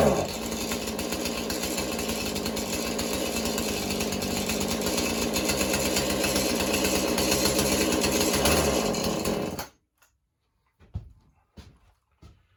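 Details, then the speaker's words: Husqvarna 435 chainsaw, likely mixed fuel, good compression, purge bulb replaced: rough surging buzz pulsing about four times a second, never steady; carburetor needs going through. "all right the way it's acting need to go through the carburetor so we'll start tearing this down a little bit"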